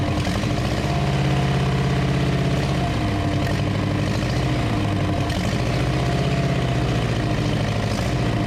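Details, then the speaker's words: 1934 Ford chassis with 1960s Buick Nailhead V8, first run in about 40 years, fuel poured in because the accelerator pump isn't working: steady, loud, even idle with a deep regular beat and no misses. Normal idle. "well she runs you better open some doors though"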